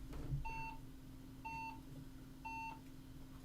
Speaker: 5 slow beeps, no RAM, folks.